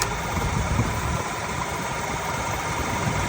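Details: Honda Civic idling with the AC on: a rough, uneven drone and a faint knock over the engine. The AC compressor is suspected, not proven.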